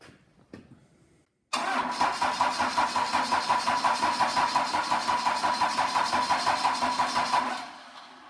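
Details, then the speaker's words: Cummins 4BT diesel after refuelling, with system hand-pumped to purge air: even starter churn at about three compressions a second for six seconds, never catching; cranks but won't start, owner suspects injectors need bleeding. "looks like we may have to do some bleeding on the injectors but obviously the oil started to flow and we did start to to get some combustion out of it I can smell it and you could hear it start in the hip"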